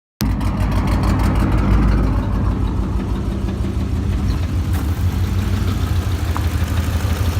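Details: 2006 Mustang GT V8, 130k miles, rough lumpy idle after spark plug change with two broken plugs extracted; also backfiring on deceleration; cause suspected, not confirmed.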